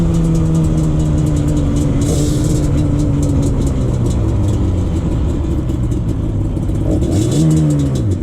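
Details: 2001 Yamaha Banshee 350 two-stroke on a POV ride after new clamps fixed an exhaust leak. Crisp revving rises and falls cleanly through quick shifts, no exhaust puffing or popping under wind noise; normal running, noticeably more power.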